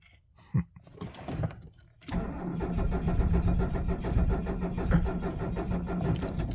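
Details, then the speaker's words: 1978 Mercedes 300 SD diesel at 22 degrees, 47 years old, no ether: after glow cycles the starter churns steadily with even compression beats, batteries draining, but it never catches; cranks but won't start in the cold. "no o we're draining the batteries I'm sure you can hear that cold is not kind to these things and yeah each cycle still takes just as long"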